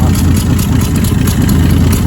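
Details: 1966 Dodge Dart GT, Slant Six 225, idling: steady, loud idle with a rough, puffing chuff in the beat. Exhaust leak at the manifold; big leak at the front, thin homemade EGR plate possibly not sealing, cracked intake/exhaust manifold gasket.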